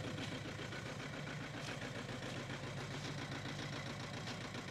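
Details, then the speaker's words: Audi A4 2.0 TDI diesel after turbo replacement, no fault codes, injector data showing cylinders 3 and 4 at -3, blipping throttle: uneven lumpy clatter stumbling on throttle; owner suspects two injectors clogged by oil that entered intake, diesel misfire. "Okay, that's definitely not running as it should."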